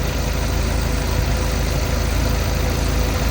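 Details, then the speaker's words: Warm Jeep petrol engine idling a couple of minutes after an engine restorer additive was poured into the oil to cure a ticking noise: a steady low rumble with no ticking audible. "and I don't hear no noise I don't believe this thing work that fast but I don't hear a chicking noise"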